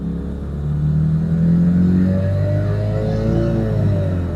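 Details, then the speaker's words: Diesel car with 8HP automatic on a Turbo Lamik TCU, internal torque calculation set too low: note climbs then hangs over a second on the 2-3 upshift; slow shift with clutch slip, torque figures need raising. "yeah that's a bit sloppy so we've gone too far you can hear it it's taking too long to shift it shouldn't take that long"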